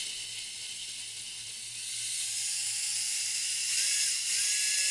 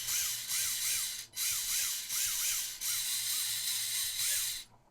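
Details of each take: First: WLToys K969 1/28 RC car after cleaning brushed motor, excess bearing oil on contacts blamed: thin high-pitched whine running smoothly with clean pitch steps as throttle changes, much less sparking and smoking; normal running after repair. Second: WLToys K969 1/28 RC car converted to RWD, small brushed motor visibly arcing and smoking, a little oil on motor bearings, diff loose: short bursts of whine swooping up and down with rough crackly hiss; brushed motor arcing from dirty commutator.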